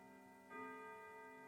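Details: Old grandfather clock after setup, with its weights taped together so they don't foul the pendulum: a clear bell stroke with a long, clean decay as it strikes nine correctly, the hour hand set right.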